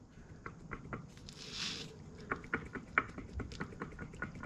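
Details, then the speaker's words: Removed lower control arm ball joint from a 2007–2013 Nissan Altima, torn boot: irregular dry clicks and knocks as it is pulled up and down; worn, completely failed ball joint with excessive play. "Now, I know that this part's bad, but you can see like it's got a tear in the boot there. But you can hear as I pull up and down on it,"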